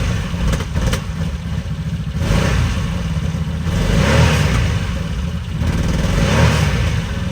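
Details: 2020 Can-Am Defender just fitted with a used 2019 X3 transmission (25% gear reduction), started in park: engine catches, settles into a lumpy idle, then swells with a few blips; nothing abnormal, drivetrain healthy; normal start and idle.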